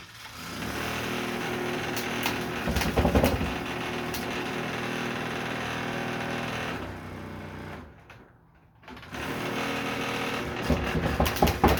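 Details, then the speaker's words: Milwaukee M18 fan running on a newly replaced power cord: rapid steady rattling clatter while spinning, briefly dropping away mid-run; fan bearings possibly failing, unconfirmed. "Maybe these fans' bearings going out, I guess."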